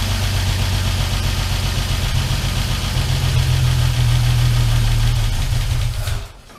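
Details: Armstrong Siddeley Star Sapphire-engined sprint special, revived after probably over 40 years, cooling system filled with water, cold on choke: slightly uneven, lumpy low beat at fast idle; fires happily but carburettors are out of balance and need tuning.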